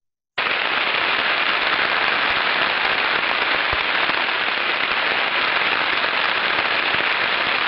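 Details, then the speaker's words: Ultrasonic recording of a cavitating pump, heard through the inspection instrument's headphones: a dense, irregular, non-continuous crackling like frying fat or heavy rain. "voilà donc vous entendez une signature qui amène absolument pas uniforme absolument point continue qui dans le cas où les prises sur le korn la pompe correspond à la cohabitation"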